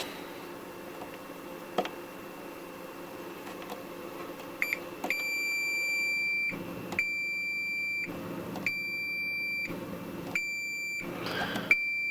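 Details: Multimeter continuity test along a shielding strip in a Farfisa O.R. 200 amp's reverb tank area: a clear high beep held about a second at a time, repeating with short gaps. Continuity beep, good contact.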